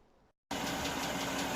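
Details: Hyundai Creta 2.0 engine, warmed up, hood closed: warm idle with a light, regular ticking knock over the steady hum; knock comes and goes between recordings in different temperatures, cause unknown.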